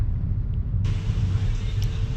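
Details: Hyundai Aura after steering column repair, driven over rough potholed road: steady low road rumble, no knocking or clunking from the column; earlier kutuk-kutuk noise gone, problem sorted out.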